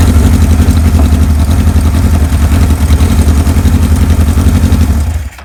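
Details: 1978 Kawasaki KZ1000A, estate bike believed on original miles, maiden hot-wired startup with a small gas leak: deep, steady four-cylinder beat at about four pulses a second, evenly paced, then shuts off; runs clean and healthy, normal running.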